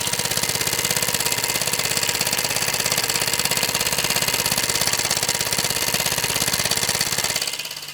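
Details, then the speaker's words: Restored 1946 Mamod SE1 model steam engine running: quick, even chuffing at about three beats a second with a soft steady hiss until it winds down; very quiet and running sweetly. "the mamas are a little bit trickier than that but as you can hear it's very quiet"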